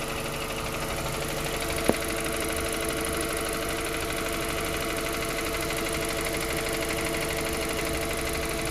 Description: This noise appears on the cold motor and disappears as it warms up. It started as the mileage reached just 10K km.